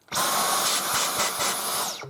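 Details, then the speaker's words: Dyson Cyclone V10 Total Clean cordless vacuum, brand new, about 20% charged, middle setting: high, even airy whine holds steady, then winds down in pitch at switch-off, with a weird sort of reverb at the end; normal running. "It has a weird sort of reverb at the end."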